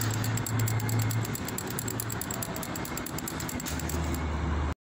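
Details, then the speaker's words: Chevrolet Celta with metallic engine noise first suspected to be a blown alternator bearing: the removed water pump, spun by hand, gives a quick gritty metallic ticking and rattle, something seemingly broken inside. Worn water pump bearing. "aí ficava aquele barulho né tipo aquele rangido né aqui girando assim fica igual não barulho né mas ó olha aí ó barulho metálico"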